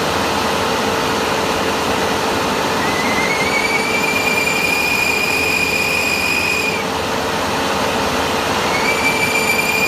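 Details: Tracked machine's final drive: high, steady screech as the brake drags instead of disengaging, caused by a weak charge pump.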